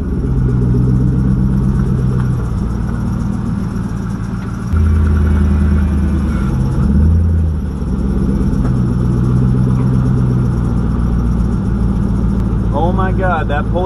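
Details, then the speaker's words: Chirping squeak from a pulley in the front belt drive over rough idle, just out of winter storage, on a WS6 with 5.7 LS1 V8, stock manifolds and downpipes, GM catback; finding: squeaking pulley. "pulley squeaking like a little"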